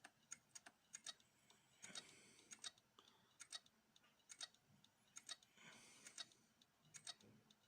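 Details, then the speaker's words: Toshiba C875 laptop fitted with a 750 GB replacement hard drive. Faint, irregular ticking about once a second with small bursts between, and it barely starts up. The drive is judged failed and dead. "Je pense que vu le bruit qu'il fait là, à l'heure actuelle, pour moi ça ne sert à rien de le lancer, hein. Et de toute façon déjà, hein, il veut quasiment même pas démarrer, hein. Donc celui-ci, à mon avis, il est bien HS, hein."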